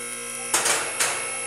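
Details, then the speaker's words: Shop lift raising a 1994 Chevy Silverado 1500 2WD 5.7L (4L60E): steady electric pump hum, then two sharp metallic clacks half a second apart as the safety locks drop in; the lift is working normally. "Okay, we got our lift up. You heard all the locks hit, so we know it's safer to get under here."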